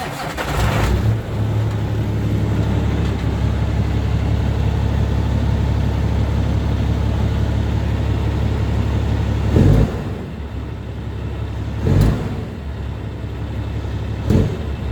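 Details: Cummins ISX diesel in truck after crankshaft position sensor replacement: cranks, catches and settles into a steady low idle, with a few shop clunks around; healthy start after the fix.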